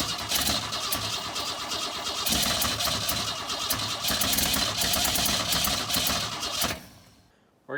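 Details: 1962 Ford Falcon not run in 25 years: starter whirs steadily for about seven seconds without the engine catching, then cuts off; cranks but won't fire, spark later confirmed at every plug.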